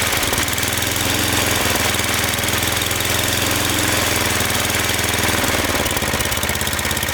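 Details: Snowblower small single-cylinder engine after cleaning out carbon and spraying fogging oil, not yet reassembled: quick, even putter at steady idle, no longer surging or stalling when idled down; surging idle fixed.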